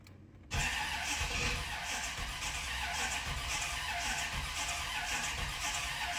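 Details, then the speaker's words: 1988 or 1989 Corvette that sat over winter, fuel pump hot-wired because power isn't reaching it: starter spins steadily at about two pulses a second but the engine never catches; starter judged good, cause not confirmed. "Doesn't seem good. The starter's good too."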